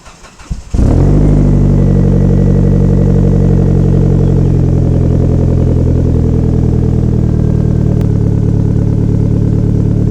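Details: Car with a freshly rebuilt exhaust, resonators only and no mufflers, after the old muffler and piping were damaged: catches at once and settles into a deep steady drone with no rattles or leaks. Normal exhaust note.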